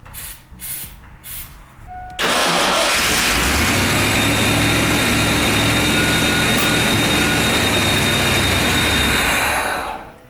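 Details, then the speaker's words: 1989 Ford Bronco after new battery cables, fuel leak fixed, with a shot battery and jump pack: engine cranks, catches and runs roughly for several seconds then dies; sputtering start blamed on weak battery. "Sounds like she's still sputtering. See if we can get her to start again. Battery shot, jump pack shot, so at least we're not pissing fuel anymore, so that's fixed."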